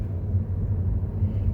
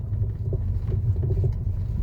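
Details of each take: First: 2015 Mercedes-Benz W212 E-Class after repair; the owner had a front driver-side noise despite repeated suspension part replacements. The ball-joint bearing was suspected, and on the post-repair rough-road test drive only a low road rumble is heard, with no clunks; the suspension sounds tight. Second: 2015 Mercedes-Benz E-Class W212 on a rough test road at slow speed: light, irregular knocking clatter from the front driver side over low road rumble, louder when driving slowly. Blamed on a worn ball joint with play.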